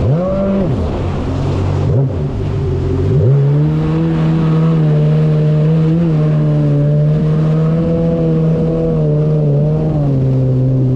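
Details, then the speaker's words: 2019 Yamaha GP1800R WaveRunner, supercharged 1.8L, under load on the water after supercharger clutch replacement: smooth strong note climbs with throttle and holds steady at speed without surging or rattles; running normally. "Okay, so back on the water. Just a quick run to make sure everything is good."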